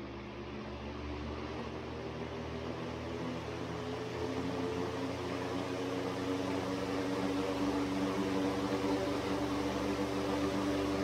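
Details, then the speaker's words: Century S-3 Model 15 skeletal frame desk fan, over 100 years old, with new machined 660 bronze bearings, turned sideways on low speed: low steady hum, soft even whir, no ticking or rattle; normal fan motor running. "It starts nice and quiet. It's smooth. It's great."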